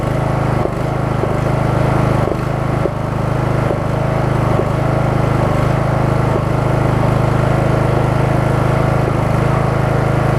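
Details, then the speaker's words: Craftsman single-cylinder riding mower at cold start with a new deck belt: the thrum dips in revs every second or so, pulsing for about a minute while warming up, then runs well; engine surges while cold. "let's crank it up you're gonna hear that it's pulsing for maybe about a minute or so as it warms up once it warms up runs great"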